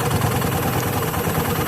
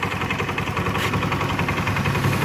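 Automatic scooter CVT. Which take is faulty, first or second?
second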